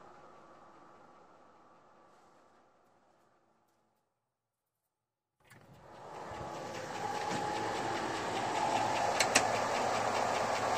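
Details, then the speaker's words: Fully warmed 5.3L LS V8 in a 2002 Chevrolet Avalanche, outside with 30-weight oil, idling about 500 rpm at over 50 psi oil pressure, after a Comp Cams cam, lifters, pushrods and trunnion rockers; fast, even valvetrain ticking dominates. "As you can hear, the valve noise is about the loudest thing you hear"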